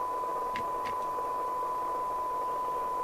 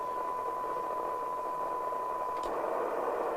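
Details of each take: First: LCL Communicators NI440DX CB27/81 UK FM CB radio on the bench during service, receive test with 0.3 µV from the signal generator: steady test tone buried in heavy hiss, sounding rough before alignment; poor receiver sensitivity from misalignment. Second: LCL Communicators NI440DX CB27/81 UK FM CB radio after VCO and receiver alignment, receiving 0.3 microvolt signal-generator test tone: tone comes through clearly over soft, even hiss, audible down to about 0.17 microvolt; receiver working properly.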